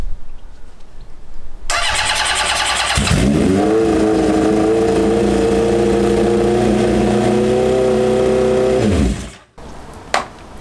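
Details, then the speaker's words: Honda CB750 SOHC cafe racer after carb clean and new battery: catches after cranking and holds a lumpy, uneven rev, cylinders 1 and 2 not firing (colder exhausts); owner suspects the carbs on that side and plans to swap HT leads to rule the leads out first. "I'm going to swap this HT lead with the one on the other side because it's not running on those two cylinders which should be nothing to do with the HT but I just want to rule it out first"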